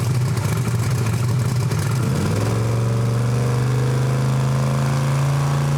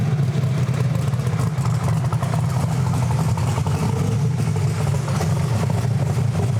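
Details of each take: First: Almost 2,000 hp Camaro engine, warmed up, on the two-step during a low-power dyno pass: note climbs briefly, then flattens into a steady low drone that never rises; too much dyno load holds revs down. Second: Camaro with an almost 2,000 hp turbo V8, timing cut by 6 degrees and some boost added: deep, loud, steady roar holding hard under full load with no misses or stumbles before an early lift; normal full-power pull.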